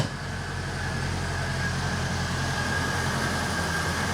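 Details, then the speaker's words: Reliant Fox after exhaust downpipe joint repair, first start: normal idle, steady even smooth low hum with no puffing, ticking or leaking hiss; exhaust sounds sealed, smoothest ever. "how smooth does that sound she has never sounded that smooth that's the choke this one's the throttle oh wow sam you have never sounded that good"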